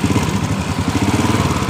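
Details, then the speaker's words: Honda Supra Fit motorcycle, running with the throttle opened: dry rattling chatter over the engine's quick beat, which the mechanic analyzes as the starter motor gear meeting the magneto; the engine is to be opened to confirm. "ini seperti itu kita fokus lebih jelas semacam dari gear dari dinamo patirnya yang ketemu dengan magnet seperti itu yang saya Analisis"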